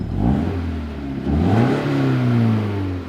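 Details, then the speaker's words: Subaru boxer engine (Toyota 86 twin) with Aisin automatic, rear-wheel drive, rebuilt title, tuned exhaust: deep note climbs cleanly and falls evenly, no rattle or misfire; scan tool all green — normal revving. "so it sounds a heck of a lot better than the stock subaru that kind of sounds like an evinrude motor this makes a much better noise it's got a good tuned exhaust on it"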